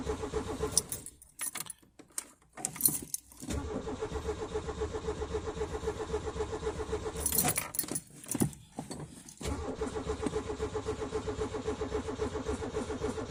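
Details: Peugeot 205 hard cold start at about 2°C in the dark: several long bursts of cranking separated by pauses, keys rattling between tries; the engine struggles to catch.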